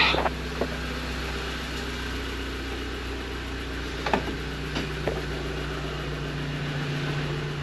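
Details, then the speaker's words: Audi TT S Mk2 8J roadster, manual, just started after full service with new plugs and fuel filter; smooth, even idle hum with light handling clicks, no misfire or ticking; running fine. "A little bit of a hesitant start, but that's because we've done the fuel filter. All right, so now that's running."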